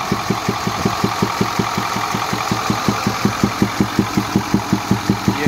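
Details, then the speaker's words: 2010 Ford F-250 6.4 Power Stroke at idle: a sharp, steady knock about 160 per minute, loudest at the air intake filter on the passenger side. Not rod knock but compression escaping through the intake side. "el problema que este está teniendo es que tiene un golpeteo en el motor el golpeteo se escucha en el filtro de aire y no es un golpeteo de viela sino es más bien un golpeteo como de compresión"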